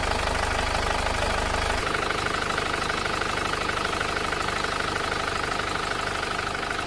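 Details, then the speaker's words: Panther diesel after engine overhaul, previously making a "tak-tak" knock: settles into an even idle, regular soft clatter about three beats a second, no sharp tapping; healthy. "Bismillahirrahmanirrahim suaranya seperti ini ya tidak tak-tak"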